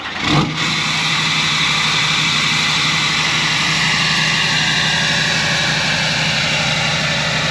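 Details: 2009 Chevrolet Silverado 3500 with new 4-inch exhaust fitted without a muffler, near-cold start with block heater: engine cranks and catches, then settles into a loud, raspy, even roar with harsh top end.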